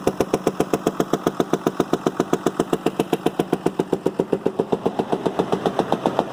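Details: Damaged Ford medium-duty 6.7 Cummins with rear gear drive, run on a bench outside the truck body with only three wires and no OEM Ford wiring, started to judge whether it is worth a teardown; crisp, even, steady idle with no misses.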